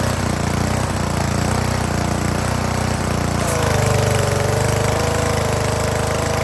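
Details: Honda GCV160/GCV190 pressure washer that had sat unused and would not run, test-run after carburetor and parts cleaning: small single-cylinder engine runs at a steady, even rate, with a faint pump whine partway; sounds healthy.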